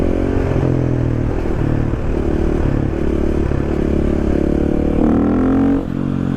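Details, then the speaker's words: Motorcycle pushed into the garage after hours of wheelies: steady rolling drone with a faint scraping, rumbling noise from the front wheel; owner first suspected uneven brake pads, but it was a worn front wheel bearing. "I got satisfied, went back to my garage, and when I rolled the bike in, I heard some noise coming from the front wheel, like, and I was like, what is this?"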